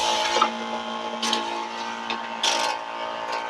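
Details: New 12 V DC high-pressure pump under spray load during a noise test with sound level meter: even, steady buzzing hum with a few brief handling clicks; runs smoothly and normally.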